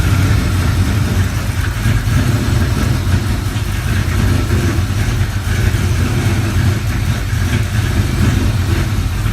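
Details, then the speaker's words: Mustang GT with newly installed Vortech V2 supercharger, Comp Stage 4 cams, Kooks longtube headers, X-pipe, Spintech exhaust, not yet tuned: deep, loping idle with uneven choppy beat; rough idle, running untuned. "here's a little clip of a car running untuned so it's rough but take a listen let me know what you think"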